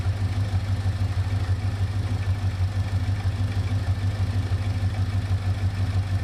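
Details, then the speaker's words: 1972 Oldsmobile Cutlass 455 V8 with newly wired ACES Killshot 2 EFI and new headers, first fire-up: deep, even idle with steady pulse, no misses or knocks; healthy. "Okay. I can't believe it. That thing sounds amazing, man."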